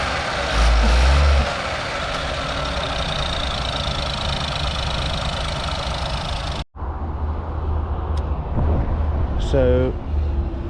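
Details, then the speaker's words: 2018 Ford EcoSport 1.0L EcoBoost at an auction yard, needing engine work. Loud start, then an uneven, shaky idle with no steady beat. Rough running, cause not identified. "But this engine was very bad. This is a 2018 Ford Eco Sport 1 liter EcoBoost."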